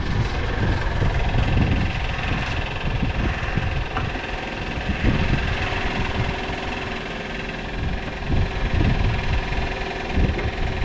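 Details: Petrol car at idle after a gearbox (variator) replacement, with uneven loose metallic knocking in the low end; owner suspects the starter's bendix is jamming, as tapping the starter reduced it and a starter replacement is planned.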